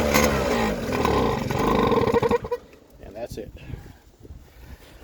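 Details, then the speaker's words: PGO PMX50 two-stroke scooter: catches and buzzes unevenly for about two seconds, then dies; it only starts on gas sprayed in, lots of oil out the exhaust, vacuum petcock swapped for a manual one. "it will not start unless I bottle feed it so I have to spray gas in there just to start it and let's see if it'll start"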